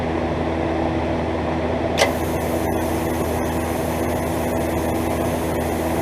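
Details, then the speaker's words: Miller 330 TIG welder fusing scrap tube with no filler; the preflow time-delay relay is suspect but the gas and solenoids work. Steady fan hum, then the arc strikes and a smooth, even hiss joins in; running normally. "I just got this scrap tube here laid together. I'm just going to fuse it. I'm not even going to run any filler. This stuff fuses pretty good."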